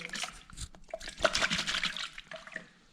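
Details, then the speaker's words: Yamaha FZ6S bought crashed, suspected flooded, engine off: liquid splashes and sloshes inside the airbox as it is removed, and it stinks; water confirmed in the airbox. "all right guys so i think we found our answer listen to this and check this out there is definitely water"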